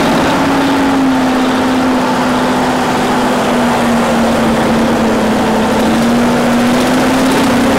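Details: 1950s Euclid off-road truck diesel after sitting 10+ years, just restarted: loud, steady drone with even pitch and no knocks or skips; manual fuel solenoid override engaged; normal running.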